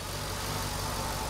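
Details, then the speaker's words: Mercedes SL55 AMG M113K supercharged V8 idling smoothly after replacing the supercharger pulley bearing; steady low hum, previous belt-drive rattle gone, much quieter. "no more of this rattle wow it is so much more quieter"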